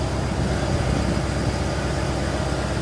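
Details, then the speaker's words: 1988 Ford F350 dually, 351W V8 with Edelbrock carb and Holley fuel pump, after roadside no-start and tow: steady even low rumble at idle, no knocks, misses or ticks; no leaks. "it sounds good I don't see nothing leaking at all anywhere"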